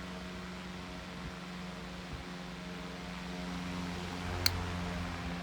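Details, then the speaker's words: Restored 1902 GE five-speed stick pancake desk fan with incorrect, slightly unbalanced blade causing vibration at top speed; steady low hum and even whir on third speed, no knocking or rattle; normal running. "anyway it's five speed it runs pretty well let's fire it up"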